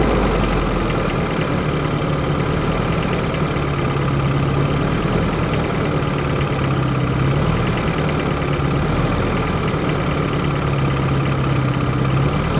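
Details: 1993 Geo Tracker at idle, another mic angle: uneven, off-rhythm clatter and knock over the engine; owner suspects possible rod knock, unconfirmed.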